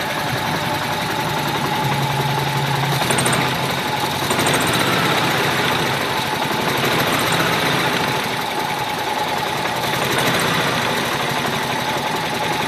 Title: 95 g20 rough idle